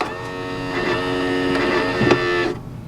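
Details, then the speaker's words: 2019 Tiffin Open Road 34PA Kwikee RV entry step motor after stripped-gear repair, extending as door opens: smooth steady hum about 2.5 s, no grinding or clicking; normal step motor operation in this direction only, retracting still noisy. "and i it worked no noise now she's gonna close the door"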